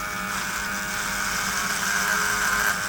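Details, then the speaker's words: Brio Beardscape cordless trimmer cutting a horsehair bristle brush: a steady, even high buzz that holds pitch with no bogging, so blade RPM does not slow under load. "Running it through the same way, the trimmer was cutting the hair better and not bogging down. So the RPM of the blade was not slowing as I moved it through."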